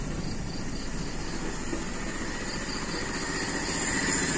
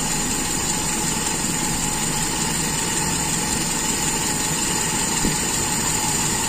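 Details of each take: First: Toyota Kijang Super carburettor engine after the vacuum leak is sealed: even, smooth idle with no stumble but noticeably slow, since the leak's extra air no longer raises rpm; idle must be turned up. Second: Toyota Kijang Super carburettor engine after sealing the secondary air leak and closing the air screw further: even, settled idle with a constant hum, no hunting or stumbling; idle-to-primary transition shows no stumble, judged normal.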